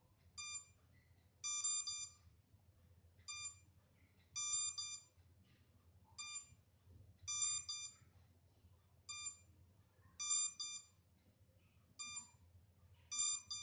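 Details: MJX Bugs 3 drone left on without transmitter connected, minutes later: shrill electronic chirps in alternating short and longer bursts every one to two seconds; lost-transmitter locator warning buzz.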